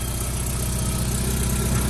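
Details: 2007 Hyundai Tiburon GS automatic, first start after a cylinder head repair with a replacement manifold and catalytic converter and new O2 sensors: a smooth, even low idle with a steady rumble and no knocks, ticks or misses, sounding healthy.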